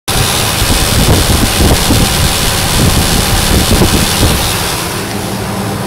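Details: 5.4 V8 truck engine running with a steady low buzz beneath rough, wind-blown engine noise; cause unknown.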